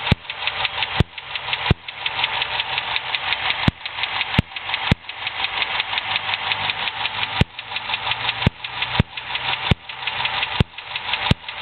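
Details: 2006 Dodge Charger SRT-8: sharp, loud ticks about once a second over the idle, unchanged at any speed or rpm, heard by stethoscope at the top right of the engine (facing it from the front); a bad lifter, confirmed as the top-right lifter.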